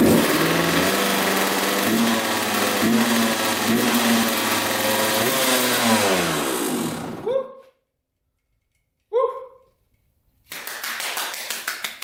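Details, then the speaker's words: 1993 Kawasaki KX125 two-stroke, abandoned in a shed over 6 years, started with gas poured down the spark plug hole. It fires, revs up and down for about seven seconds with a crisp buzz, then cuts out. "that's a very good sign so I don't think this is gonna be too hard to fix up so basically we know that it starts now"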